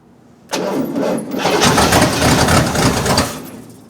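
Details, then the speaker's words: 1972 Cadillac hearse, abandoned since 1995, first start in 29 years with no mufflers and timing not yet set: loud, ragged firing catches, runs unevenly about three seconds, then dies; it won't stay running yet. "let's see what it does well it did something it moved it sounded you know pathetic"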